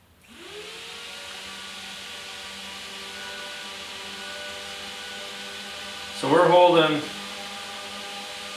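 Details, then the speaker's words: Suburban DD 17DSI RV furnace blower motor on bench, drawing just under 2.5 A: spins up quickly then holds a smooth steady hum with no rpm drop; normal blower motor run. "just a little bit under 2.5 amps which is a pretty good draw yet but you can see that it's staying fairly uh consistent it's not dropping in the rpm or anything like that it seems to be pretty darn good"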